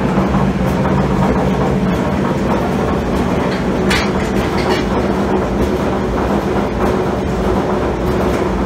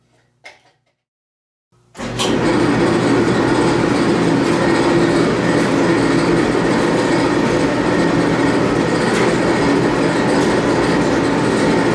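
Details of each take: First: Admiral AED4675YQ1 dryer running, blowing cold air: loud steady rumble with rapid clattering rattle; worn drum support bearing and seized idler pulley, fixed by replacing tub bearings, belt and tensioner. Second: Admiral AED4675YQ1 clothes dryer after replacing heating element, thermal fuses, thermostats, tub bearings, belt and tensioner: steady, even tumbling rumble with no squeal or thumping, bearings sounding great and heat working; normal running.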